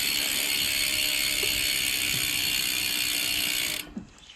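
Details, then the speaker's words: Dolan L'Etape SL Disc road bike rear wheel spun by hand: bright, even, crisp ratcheting freehub buzz that sounds healthy, then stops, though the wheel bearings are separately reported rough. "i'll show you through the hub while i'm here it sounds mint listen to that"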